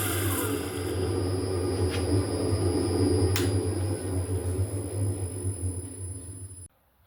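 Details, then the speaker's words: Homemade grinding attachment on a metal shaper, test grind with a dressed wheel on a shear tool: low machine drone with a thin, even high wheel whine, no chatter or catching. A clean light grinding pass with a good finish. "And now we'll fire up the shaper and touch off and just take a foul across the top and see what it looks like."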